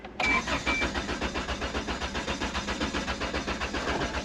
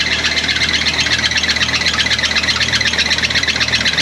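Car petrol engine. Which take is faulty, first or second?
first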